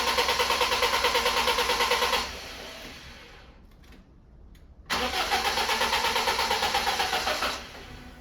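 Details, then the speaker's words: BMW E36 just restored, retried after adding 15 litres of fuel with the charger disconnected: two spells of even cranking at about three compression beats a second, never catching. Owner suspects the battery; cause unconfirmed. "Right, that doesn't want to go and I don't know why."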